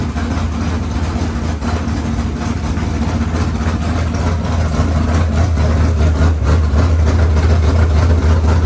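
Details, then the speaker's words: Freshly rebuilt 383 small-block V8 for a C10, running on an engine stand: deep even idle building slightly as revved, firing steady with no knocks or misses; healthy fresh engine, normal running. "I can't run on an engine stand. That's going to collapse. But that sounds pretty sweet."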